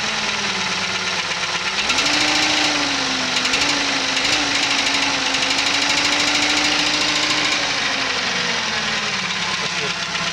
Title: P5000 Engine Knock